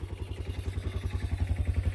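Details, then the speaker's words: Old four-wheeler started after sitting for years: a steady, even idle with a regular low thump and some intake noise, no knocks or rattles, slight smoke expected to clear. Fuel filter looks clean. Normal idle. "So, I'm just checking, making sure there's no weird noises. Checking the fuel filter. It looks clean. It's idling great for how long it's been sitting."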